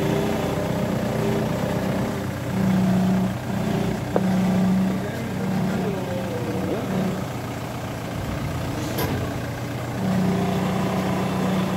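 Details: Ford Mondeo engine idling with a whine that comes and goes over the running sound, from a failing power steering pump.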